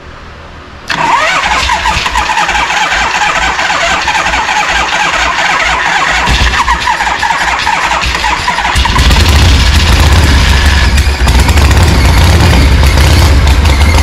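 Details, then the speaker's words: 1974 Harley-Davidson Ironhead chopper, unrun for 15+ years, with no exhaust pipe: a long crank catches into rough, uneven firing that swells louder, blowing out debris as the old engine coughs itself clear. "all right see if she's gonna fire up today oh she's blasting all sorts of stuff out"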